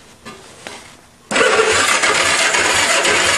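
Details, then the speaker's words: Old go-kart engine spark test with two loose spark plugs on the leads: starter churns steadily about 3.5 turns per second, never fires; no spark, owner suspects dirty ignition points needing sanding. "no luck well if you look inside this air scoop i believe that's where the points and condensers well i mean the points are the condensers are at the back so i'll have to take that cover off and the air scoop too and do my typical point sanding and seeding technique that's probably all it needs"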